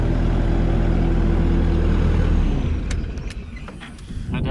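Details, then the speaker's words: Bobcat T750 diesel skid steer that lugged under load and blew debris from muffler (muffler or turbo suspected), after repair work: strong even drone at high revs without lugging, drops back cleanly; now revs freely to the top, which it wouldn't the day before. "think she's better I'll work it a little bit more Let It kind of get up to top so yesterday wouldn't even do that"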